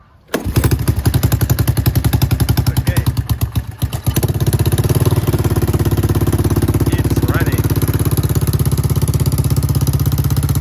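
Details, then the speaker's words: Honda ATC 200ES, started after an engine and final-drive oil change and a new spark plug: it catches right away, stumbles briefly, then settles into a quick, even single-cylinder beat and runs fine. "So it's running."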